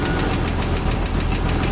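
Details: Jeep YJ 4.0 petrol engine at idle with steady light tick about eight a second over low rumble; new oil filter, oil pressure over 3 bar rising to 5 with throttle; owner suspects exhaust manifold gasket side, louder there.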